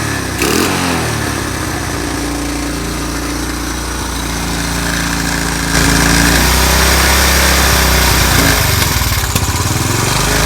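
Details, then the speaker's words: Honda CT110 project bike after carb work, small single idling on choke (won't run without it): steady, even, quiet putter about four beats a second, no knocks or rattles; owner may redo carb; sounds like a healthy motor. "It won't run without the choke, but choke on, it's nice and quiet, smooth."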